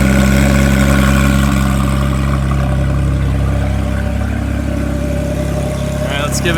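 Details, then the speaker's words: Salvage-auction wrecked car with front-left frame damage, running off a jumper pack through a loud aftermarket exhaust: loud, deep, steady idle with an even beat and a smooth rise on the rev, no knocks or misses. Normal idle and rev. "here we go oh yeah she's alive this thing is super loud"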